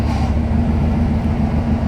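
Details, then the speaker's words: Power steering after freeing seized kingpins and bleeding air by turning lock to lock, engine running: steady hum with only a faint pump tone fading as air clears; power steering now quiet and normal. "как вы слышите немножко вам будет ну вот чем больше мы сейчас поговорим тем менее слышно будет его гудение"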